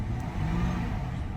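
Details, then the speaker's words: V8 BMW automatic in drive, flooring it: engine revs freely but won't pass about 1800 rpm and the car barely moves; low coolant warning; automatic transmission slipping, no drive. "Actually, I'm flooring it and it's not going past, oh! For a second, it wasn't going past 1800 RPM."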